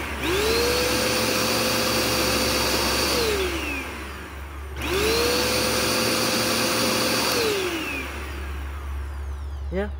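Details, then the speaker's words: Curbside-found Dirt Devil Endura Max UD70175 vacuum, brush roll refitted with old belt that still has life, checking it runs centered: motor spins up to a steady whine, runs evenly without rubbing or rattling, then winds down; runs true, healthy. "you know that belt still has some life in it all right let's see let's see how centered it runs"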